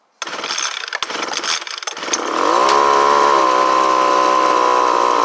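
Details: Homelite UT09250 after carburetor replacement, warm: catches after a few rough pulls, then settles into a smooth steady high-pitched run with no surging or misses; repair appears to have worked.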